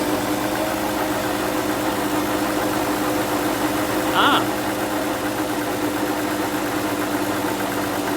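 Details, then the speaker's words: 2005 Ford Freestyle with long-standing slight miss, now worse: uneven idle unchanged with one coil unplugged, so that cylinder was already dead and misfiring; previous owner's SKP iridium plugs suspected, replaced with Motorcraft SP433X. "All I'm going to do is pull off each one of these and see if it gets worse or [Music] better. It got worse."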